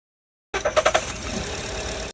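Four quick screechy chirps as the engine catches, then a steady idle; a loose drive belt slipping on start-up.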